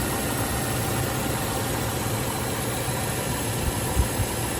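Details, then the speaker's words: 1995 Range Rover Classic 4.2L V8, previously stalling and not starting, after replacing ignition coil, ignition amplifier module, distributor cap and rotor; starts without hesitation, steady low even idle, no stumble or misfire, soft hiss; normal idle. "I hope it doesn't die on me, but that sounds sounds really good. Give it a little gas."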